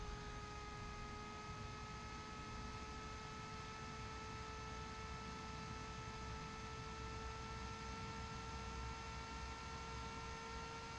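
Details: Bgears b-Blaster 80mm replacement instrument panel fan on bench power supply near 12-14.1 volts, about 260-310 milliamps: steady whir with even, unchanging tone and faint hum; healthy fan at constant speed.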